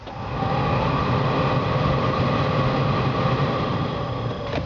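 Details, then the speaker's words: 1965 Ford Mustang, restored, engine running: heater blower fan switched back on, on low, smooth steady hum and constant whir, no ticking or scraping; runs fine on low. "turn it off and then I'll turn it back on so you can hear the heater fan"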